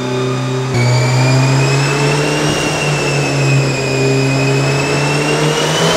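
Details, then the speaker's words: Turbo LS VTEC Honda Civic with new GSR camshafts, new ring gaps and an ACT 6-puck clutch, on the dyno. A clean, steady engine note climbs smoothly under load with no knocks or rattles; sounds healthy and smooth. "sounds healthy sounds like really smooth"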